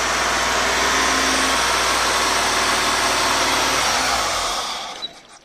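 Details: Mitsubishi 1G 4G63 (Eclipse/Talon/Laser) with an ECU that seems fine idles at a raised 2,500 rpm, about 4,000 at full throttle, with loud intake noise. It runs 3–4 seconds, then winds down and stalls even at full throttle; cause unknown.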